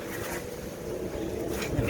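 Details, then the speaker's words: Fisher & Paykel Quicksmart washing machine found at dump, test run: steady hollow rumble and low drone; drum bearing worn out, would be very loud on spin. "get closer the bearing's gone you can hear the hollow sound so you can use it it will work but it'll sound really loud when it's on spin"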